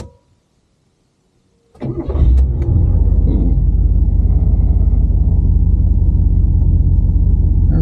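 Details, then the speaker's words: 1984 Buick LeSabre Limited V8 barn find, sitting for years and recently revived, restarted on its first drive with an uncertain battery; brief crank, catches right away and settles into a steady, even low V8 idle. Normal start and idle. "Sounds good. This car sounds good."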